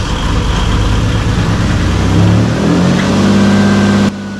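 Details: 1988 Camaro RS, first start after sitting over a decade and fuel system rework, fuel pressure restored: engine fires and runs steadily, pitch rises with a couple of throttle blips, then settles to an even idle.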